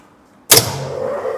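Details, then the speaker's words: Induction motor on a star-delta starter, restarted after supply voltage raised back to about 200 following a low-voltage trip: sharp contactor clack, then steady hum as the motor runs up evenly in star; normal star start. "आता परत आता ही motor स्टारमध्ये operate झाली. बघा हे स्टारमध्ये operate झाली."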